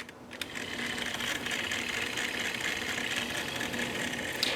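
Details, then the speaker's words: Cassette deck on play with clutch washer too thick: small tape mechanism whirs with gritty, rattling gear grinding because the clutch disc isn't slipping; fast forward works fine. "But when I go to press play, you could hear the gears grinding. I don't want it too long, but you could hear the gears grinding, and that's because that disc isn't slipping."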